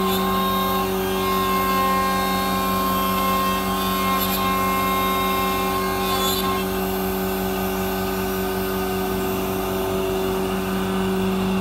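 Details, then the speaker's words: MultiCam 3-204 5x10 CNC router with a 5.5 HP Colombo spindle (32,000 max rpm) and 8-position tool changer, cutting at high speed with the dust hood. Steady spindle whine over even cutter chatter, no labouring or squeal; normal cutting. "as you can see it comes with new orange hose fully working dust hood the spindle is smooth machine works at high speed with no issue"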